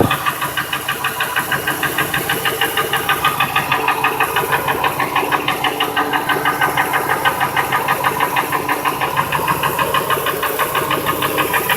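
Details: 2002 Ford F-150 5.4L 2V V8, no cam phasers, idles with a steady knock about three per second; unplugging each injector and coil changed nothing, runs fine, knock drowned out above 1200 rpm.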